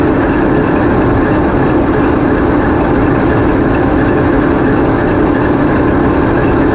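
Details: TEP70 0237 passenger diesel locomotive on post-repair running trials, microphone in the diesel engine room: deep, steady diesel roar with an even beat and no knocks or misses; running normally.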